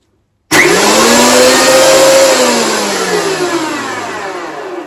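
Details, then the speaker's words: Titan TTB579PLN planer/thicknesser after replacing both blades, first test run with guard on: motor spins up to smooth high whine that slowly eases off, no rattles, knocks or scraping; cutter block runs true, normal. "Okay, so that's running okay, nothing flew off, so we can now open up the guard."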